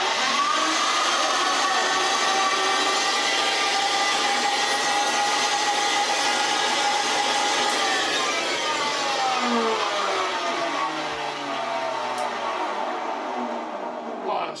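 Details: Old Hoover Senior 652A upright vacuum, first power-up: harsh, rasping grind rides over the motor whine, then winds down as it coasts to a stop; brush roll not seen turning, something rubbing inside, cause not confirmed.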